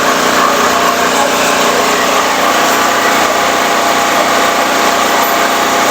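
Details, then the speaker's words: Firman 3650 W yard-sale generator, fuel reaching the carb, choke on: quiet, steady, even running with no misses, knocks or surging, though RPM is a bit low (target about 61–62 Hz); normal running. "but it's uh it's a quiet running machine I think it's a little bit uh low on the RPMs I may turn that up a little bit"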